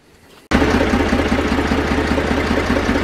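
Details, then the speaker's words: Zetor 4911 tractor diesel, stored since 2012, restarted after coolant top-up with no leak at the cylinder head, warming up: catches instantly, settles into steady even idle clatter with no stumbles; running sweetly. "let's get a bit of heat into it but uh running sweetly"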